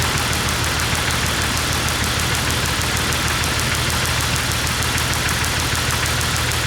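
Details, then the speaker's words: 1998 Jeep Wrangler 4.0L inline-six cranking but not starting after stalling at a stoplight; even starter chugging about three beats a second with no catch; spark and injector signal present throughout. "All right, so we never lost spark or injector signal when it was cranking no start."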